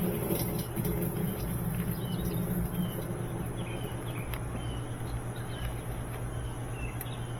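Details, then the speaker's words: GE top-load washer in service diagnostic mode after drive belt swap and pulley cleaning, after spin test; steady low drive hum with soft even back-and-forth churning, no slipping or squeal; agitating normally, everything working. "Sounds like it's agitating. Okay, so everything's working."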